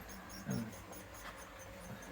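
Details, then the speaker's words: Model railway coaches rolling on the Shedley Wood layout: faint high-pitched squeaks come and go, like a mouse. "sometimes I'm thinking, well, real trains, they do make a lot of noise, squeaky noises. Yeah, but it can be annoying with the models as well."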